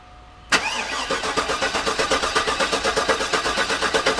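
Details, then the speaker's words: Garage-rebuilt GM LS engine, cranked repeatedly to try to prime the oil pump, which was forgotten before installation: even, rapid starter chug that never fires. Still no oil pressure however many times it is cranked. "all right so what's going on is i have not been able to prime the pump no matter how many times i crank the engine over"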